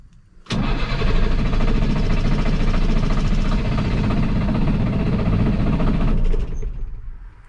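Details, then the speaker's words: Masport vacuum pump engine running only on starting fluid: rough, uneven cranking that speeds up as cylinders fire, then dies once the starter releases, because it cannot sustain itself. "so i know that doesn't sound like it's running but really that sound is running it's just not running good not enough to sustain itself"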